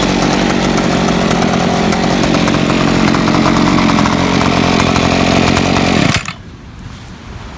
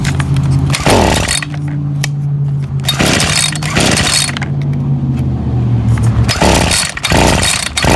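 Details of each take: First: Ryobi SS30 30cc two-stroke weed trimmer after simple carburetor adjustment: buzzes steady and high under load, holding speed without bogging or stalling; runs healthy, though maybe not exactly fine-tuned. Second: Ryobi SS30 30cc two-stroke trimmer before carburetor low-jet adjustment: uneven buzz, revs sag and stumble each time the throttle is opened. Bogging on throttle.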